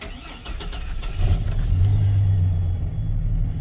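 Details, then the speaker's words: GMC Sierra 4.3 V6 (throttle cable) with an occasional hard-start complaint and no check engine light. A brief sluggish crank before catching to a rough idle. The labored start is traced to a faulty coolant temperature sensor reading colder than actual. "Give a little labored start. Nothing dramatic."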